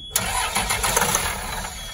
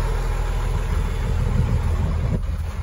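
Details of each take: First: 2004 Blue Bird SC2000 bus, diesel, long-sitting, after rewiring from a diagram restored gauge sweep: short burst of brisk even starter cranking that turns the engine firmly but never catches; cranks, no start. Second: 2004 Blue Bird SC2000 transit bus, six-cylinder diesel, sat a long while, just started cold, heard outside: deep even clatter at low idle, no misses or knocks, little smoke; normal idle.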